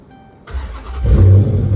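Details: Dodge Charger with code B0340 camshaft position sensor A circuit; after replacing the sensor and repairing a broken harness connector, brief starter spin then engine catches right away and runs steady, no extended cranking as before.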